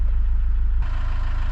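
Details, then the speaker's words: Iveco Daily campervan diesel just started after draining water/diesel mix from the fuel filter and bleeding it: steady, even low rumble with no misses, knocks or hunting, little smoke; normal idle. "And not too much of steam or smoke coming out, so"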